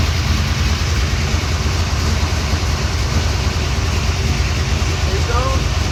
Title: Exhaust leak popped up